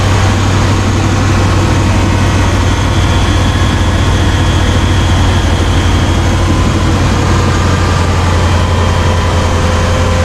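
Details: Chevy Silverado K1500 small-block V8 after installing a 140 amp alternator: smooth, even low rumble, steady idle, no knocks or squeals; unclear whether it is this alternator or the removed one whose bearings are said to be starting to go.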